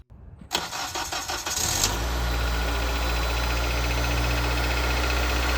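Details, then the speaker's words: Acura RSX after replacing the worn squeaking serpentine belt: starter cranks, engine settles into a steady even idle with no belt squeal or chirp; belt noise fixed, though owner notes a top-end tapping and suspects valve adjustment. "As you can see, no more belt noise."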